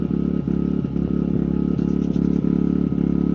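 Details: Generator powering a replacement Sungold 3000W inverter charger after repeated overload faults, reading 60 V on each leg. The small engine holds a steady, even drone with a soft regular pulse under electrical load. Normal running.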